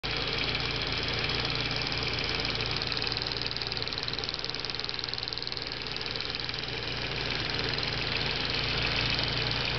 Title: Audi A4 B5 1.8t- Clicking Noise from Purge Valve